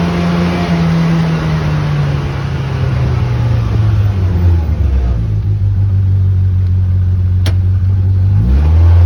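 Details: Loud, deep engine drone with pitch sagging then surging; abnormal engine noise, cause suspected but not confirmed.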